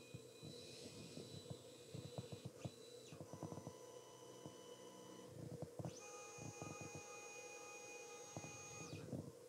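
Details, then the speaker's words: Alfawise U20 Mix 3D printer, a second replacement unit, homing all axes at startup: clicks mix with steady high-pitched stepper whines that start and stop with each axis move. It is as loud as the first unit; the owner also notices regular jerks from an oval or flat wheel. "Ah non, en fait, ils ont rien changé du tout. Elle fait autant de bruit que la première."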